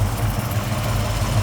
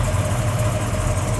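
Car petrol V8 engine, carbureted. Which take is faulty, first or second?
second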